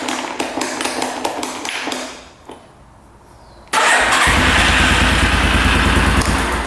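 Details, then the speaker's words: 1989 Yamaha Big Bear 350 4x4 ATV, after repairing starter: steady rapid cranking about three turns a second, pause, then engine catches into even idle; starter fixed and working great. "all right starter fixed can't believe that worked turn that off turn that on"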